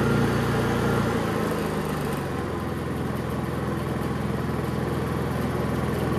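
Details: Honda EU3000is inverter generator with a Nashfuel propane/LP conversion kit installed: even, steady low hum with a smooth regular beat and no stumbles; it idles healthy on propane.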